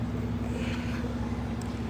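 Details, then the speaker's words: 2024 Lincoln Corsair, towed in with no crank and no start: after loosening a battery terminal coated with a substance the customer had applied to the posts, it starts and holds a quiet, steady, clean idle. "As you can see, the car starts."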